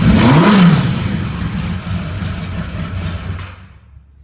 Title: Yamaha xj700n '85 hard start cold engine